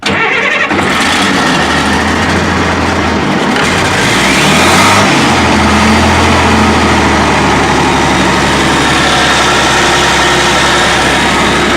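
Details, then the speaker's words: International 175C crawler loader diesel after a fuel filter change and air bleeding, started in neutral with a little throttle: brief cranking, a clean catch and a steady, even idle with no misses or knocks. Healthy running. "It ran for just a few minutes. I sat up there and made sure there wasn't no issues with it, but purred like a kitten."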